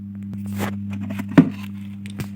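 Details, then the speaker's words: Universal 5.1 home theater: a steady low hum near 100 Hz with a faint overtone comes from both the subwoofer and the satellite speaker circuits, under a few handling taps; mains hum from a lost ground connection. "इसमें problem मैं आपको अभी सुना रहा हूं देखिए humming का problem है बफर या सेटेलाइट स्पीकर से भी किसी से भी देखिएगा"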